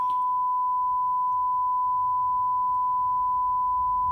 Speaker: So we're going to unplug the microphone, and now we're going to plug in the tone signal. It's just a 1 kilohertz tone, just to get an idea of the relative levels between the 3 channels.